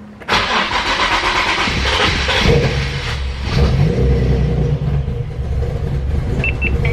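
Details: Nissan 350Z first start after valve cover gasket replacement: engine cranks a moment, catches with a jolt, then runs lumpy and unsteady; rough, hard start, cause unclear, with a leak and bad smell noticed afterwards.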